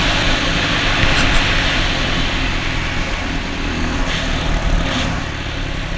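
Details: Honda XR200 single on its first test ride after a full transmission rebuild and other new parts: pulls cleanly under wind noise with an even exhaust note, no knocks or clatter; runs healthy, rider says everything felt smooth.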